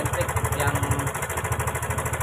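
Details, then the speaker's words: Honda Karisma motorcycle with a very rough engine and oil leaking from the block: fast, rough "cek-cek" ticking rattle from the top end over a lumpy single-cylinder idle; cam chain rattle, owner unsure whether the chain is loose or the automatic tensioner no longer works. "di depan saya ada motor Karisma nampak di suara mestinya sangat kasar sekali di sini ada suara cek cek cek cek cek cek cek cek cek cek cek"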